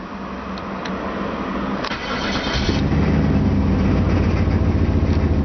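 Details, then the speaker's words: Car restarted and catching at the first turn: the starter cranks briefly, the engine fires at about two seconds and settles into a steady, even idle, a clean healthy start. "Je vais essayer de la redémarrer quand même, comme vous le voyez. Je démarre au quart de tour."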